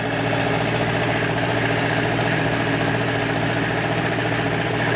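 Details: MTZ-82 tractor diesel with new injectors; loud steady clatter at idle with a dull knock about twice a second. The cause is a broken-off valve fragment striking the piston.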